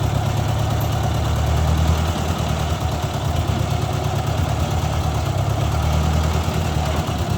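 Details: 1956 Ford 640 tractor restarted after first start in years, oil pressure confirmed (pinched gauge line): steady, even low rumble, no misses or knocks; runs really good, but still rich, carburetor needs adjusting.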